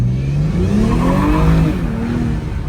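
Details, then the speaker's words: 2023 BMW M240i rebuilt after a wreck, 13 miles in, under acceleration: a rising tonal whine sits over the engine note for about a second. The transmission is slipping and kicking, and the whine is suspected to come from it. "One more. Listen to the whine."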